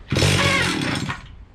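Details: Stihl 031 AV chainsaw from about 1974–76, unused for about 5 years, before carburetor cleaning, choke being adjusted: bursts up briefly, then revs collapse and it dies within a second; stall from fuel starvation, carburetor issue.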